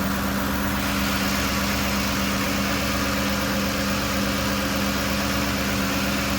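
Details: 2007 Lincoln Navigator 5.4 V8 after repair for rough idle with P0022 code: camshaft position sensor and both VVT solenoids replaced (valve cover gasket too). It now idles smoothly and evenly, with a steady low hum and no misses or stumbles.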